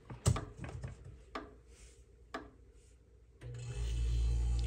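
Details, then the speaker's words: Electrolux fridge EI11BF25LS after replacing the compressor relay: a few clicks and bumps, then a low, steady hum as the compressor starts and runs normally, fixing the not-cooling fault. "now you can hear the compressor is running my compressor is okay here this was the main problem the unit is fixed"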